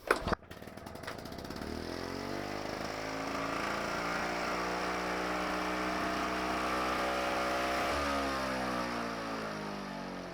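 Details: Victa two-stroke lawn mower after pre-season service, fuel on, about 7 primes, pull-start: catches and settles into a steady, even buzz without stumbling or misfiring; normal running.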